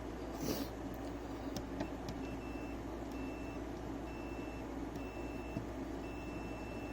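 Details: 3DO console that beeps at power-on: repeated short high beeps about once a second, each about half a second, over quiet room hum; console still faulting.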